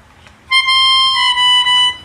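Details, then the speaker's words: Melodica after repair of a double-sounding fault caused by a reed valve/membrane not sealing: one clean, steady note holds for about a second and a half and stops cleanly, with no second tone. Normal melodica notes. "akhirnya pianikanya sudah jadi ya dan suaranya normal tanpa ada suara"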